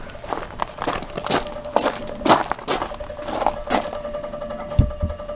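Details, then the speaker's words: RV propane system, customer smelled gas leak: thin steady buzz under clicking and handling noise from the gas regulator, the same noise it made earlier when a stove burner was left on wide open; regulator buzz under gas flow. "here's that noise that regular is making a while ago when when the eye was on when we didn't want it on"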